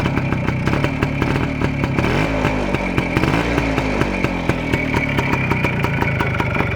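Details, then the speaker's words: Voskhod two-stroke motorcycle, warm engine, idling with the carburetor choke flap lowered. Crisp, even fast-idle popping with no misses or stalls: healthy normal idle. "Опускаю заслонку на карбюраторе, и он продолжает работать. Блин, какой приятный звук прямо,"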